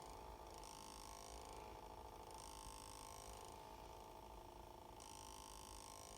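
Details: 2019 Ford Escape with engine off: faint soft hum near one kilohertz swelling and fading every second or two; unexplained humming noise after shutdown.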